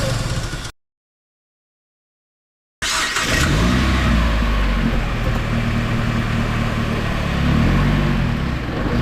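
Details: 2006 Jeep Wrangler TJ, mostly in 1st and sometimes 2nd gear, engine revs then throttle released quickly: dull clunk/knock each time, at any speed; owner filming transmission and left/right engine mounts to identify the source, unconfirmed.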